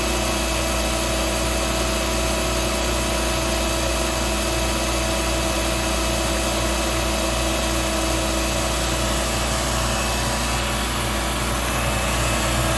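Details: Hoover Dial-A-Matic 1136 vacuum running: steady high motor whine with coarse rough rumble and uneven flutter; the brush roll is what sounds bad.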